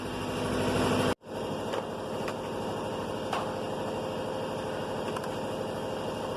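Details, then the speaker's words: 2019 Chevrolet Silverado crew cab, 4.2-liter gasoline V6, spark confirmed, fuel line disconnected: steady, even starter churning that never catches, with no fuel coming out of the fuel pipe, crank-no-start from a failed fuel pump. "I try to crank Lets check fuel coming out from the fuel pipe Nothing fuel coming out Its mean The fuel pump has problem"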